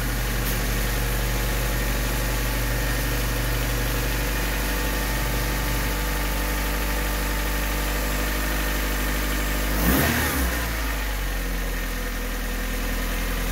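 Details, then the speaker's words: Honda Civic/CRX (B/D/H/F-series) just after the distributor was replaced with a budget coil-on-plug conversion kit. The engine catches and settles into a smooth, even idle with a steady low hum, with no misfire; normal idle. "oh yeah it's all working"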